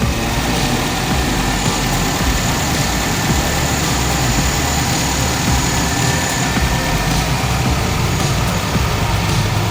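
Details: 2015 Nissan Rogue SV AWD, 4-cylinder, 113k miles, no check engine light, idling with hood open; steady even idle hum, no ticking, knocking or stumbling, smooth settled run; healthy normal idle.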